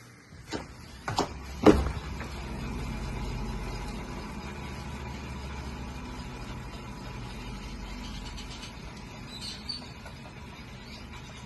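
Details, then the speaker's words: 2013 Fiat 500 on a lift, rear passenger wheel hand-spun: a few thumps, then a low, rough rumbling whir from a bad wheel bearing, heard as a loud roar above 30-40 mph. "I'm going to spin the wheel so you can hear what this bad wheel bearing sounds like"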